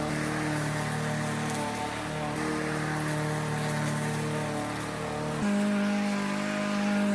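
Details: Troy-Bilt TB110 mower with a Briggs & Stratton engine that sat for months and then quit: a steady, even drone with a clean pitch step partway through. Running smoothly and healthy.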